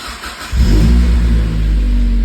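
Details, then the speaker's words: Mazda Miata with P0118 coolant temp sensor code, new ECT fitted, first start in a while, in neutral with radiator cap open to burp coolant: catches first try, settles into steady even low idle, no knocks or misses; healthy cold start. "I haven't started this car in a while. So, let's see."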